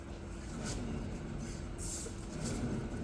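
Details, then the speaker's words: Car on a test drive with a steady low droning rumble from the rear: both rear wheel bearings are worn. "H at the back here we have um this wheel bearing and the far side, both wheel bearings on the on the back are worn."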